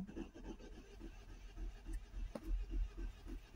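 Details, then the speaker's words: Ford Transit Connect, 141,000 miles, crank no start, camshaft-crankshaft correlation fault: fast, light, even cranking about three and a half beats a second, no compression resistance; cam belt teeth stripped, engine damage. "that sounds like no compression to me"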